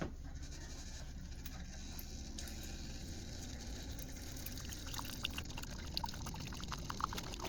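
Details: Keurig K-Mini Go after replacing the control board to fix high-pitched whining and no power: low steady pump hum with water trickling and pouring, no whine or strain, brewing normally.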